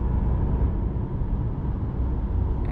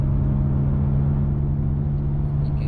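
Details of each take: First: Nissan Sentra driving after the rear hub and wheel bearing assembly was replaced: steady low tyre and road rumble with no loud humming rising with speed; the bad bearing was the cause, and the noise is now normal. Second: Nissan Sentra while driving: a steady low humming from the rear under road noise, getting louder the faster the car goes; worn rear wheel bearing, fixed by replacing the hub assembly.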